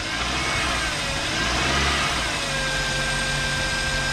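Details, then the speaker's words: 2000 Toyota Corolla just after rod bearing replacement and fresh oil, cold engine: runs smooth and rises cleanly on rev, knock gone; slight cold knock suspected may remain until warm; normal idle and rev. "sounds great huh a job well done hey actually yeah i know it sounds good"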